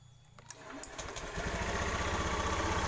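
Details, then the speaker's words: Honda BeAT FI scooter with ACG starter, after repairing the broken ACG coil wire that caused relay clicking: quick quiet crank, then the engine catches and settles into an even putter; clean start and healthy idle. "sudah normal bermasalahnya adalah kabel untuk menuju ke acg-nya ada yang putus"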